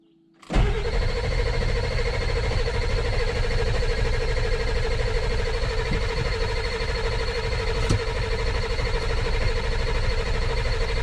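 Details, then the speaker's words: 2000 Ford F450 dump truck diesel: starter cranks steadily for about ten seconds with no firing. Cranks but won't start because the rubber seal under the fuel bowl nut feeding one bank was completely missing. "chased up to here, took the fuel bowl off because I thought something was leaking in there, and ended up finding one of them. They got little rubber pieces that mashes down on when you tighten the nut. One of them on this side over here that feeds one bank or the other was completely gone."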